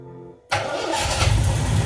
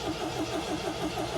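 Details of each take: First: 1979 MGB, cold start after oil check and battery charge; engine catches and settles into an even low idle that rises slightly and levels out as it warms, temp gauge not yet reading; normal cold idle. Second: 1979 MGB long kept in the family, choke set and fuel pump heard priming: even starter churn about six beats a second with no firing catch; cranks but won't start on bad old fuel.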